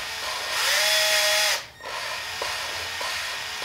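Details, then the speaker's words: Steady high drill whine with gritty scraping as lapping compound grinds valves on their seats in a 2.4 L Ecotec cylinder head during a valve job replacing bent valves; normal lapping sound, then stops. "I'm just going to insert this on to the valves themselves and I'm just going to give them a life span and you can actually hear the compound grinding against the head and that's basically the sound we want to hear"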